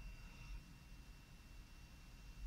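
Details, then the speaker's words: ThinkPad X1 Carbon after replacing its fan, which had a failed, grinding bearing: on power-up the new fan gives a soft, even whisper with a faint steady high tone, healthy. "Oh yep I can hear it whispering away nicely let me see if I can get the camera down there excuse the video I'm going for audio now"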